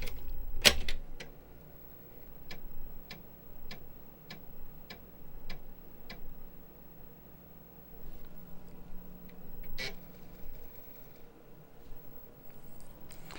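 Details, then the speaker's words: Internal floppy drive of a 35+ year old Amiga 1000 trying to read a Kickstart disk: slow, evenly spaced dry ticks about every half second over a faint motor hum. The head steps sluggishly; the rails are suspected to need oiling. "Oh, damn. Not working. So this Amiga is not happy. I think I need to oil the rails."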